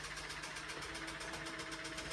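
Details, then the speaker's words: 1957 Wurlitzer jukebox switched on: the electric record-selection mechanism cycles normally with a steady, fast mechanical clatter over a low motor hum; the selector has no problems, but the amp is faulty, humming and not playing. "And then it it's it's electric, right? There's no problems with the selecting."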